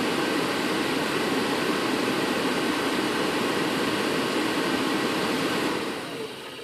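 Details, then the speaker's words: Furnace blower with the time delay relay bypassed, wired straight to the power converter fuse: a steady, even rush of air with a smooth motor hum and no cutting out, running at 100%. Normal blower without the faulty relay. "Now you can hear what the blower sounds like without the relay in line. And that's running at 100%."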